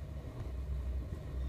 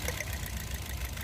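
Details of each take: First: Toyota Vios 2nd gen: low, even idle rumble at about 700 rpm with no misses or surges, holding steady with aircon and blower fan running; engine sounds healthy. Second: Toyota Vios 2nd gen with misfire and heavy vibration: rough, lumpy idle with uneven low thumps and shake as one cylinder drops out; number-four ignition coil gives no spark while coils 1–3 spark.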